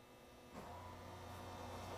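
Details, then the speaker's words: ABS pump motor commanded on through scan tool bi-directional control, quiet hum starting midway through the first second and holding steady without grinding; normal ABS pump operation. "now you hear that that's the ABS motor actually operating and that is something you'd want to do if you had an issue where you thought the motor wasn't working"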